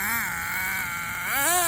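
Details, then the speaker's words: HPI RS4 nitro RC car during a break-in test run: small nitro engine screams high, then pitch sags and climbs without the car pulling. Gears mesh fine and the two-speed shaft slips. "Hear that shaft. Let me show you that is not any stripped gears. These gears are meshing just fine. So, this shaft is slipping."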